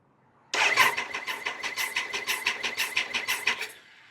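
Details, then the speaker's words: Triumph Sprint 955 three-cylinder with spark plugs fitted, after correcting valve shims that caused low compression on cylinders 1 and 2: starter turns the engine at four to five even pulses a second. Even cranking compression. "So it now sounds like it has compression on cylinders 1 and 2 as well as number 3."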